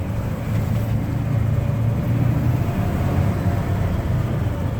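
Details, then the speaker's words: Restored 1969 Ford Bronco Sport half cab, four-wheel drive with hubs engaged, creeping through a parking lot in four low: low steady drone with faint gear hum; normal transfer case whine, engaging fine. "make sure that feels like it's spinning and engaging now you can hear the whine of the transfer case"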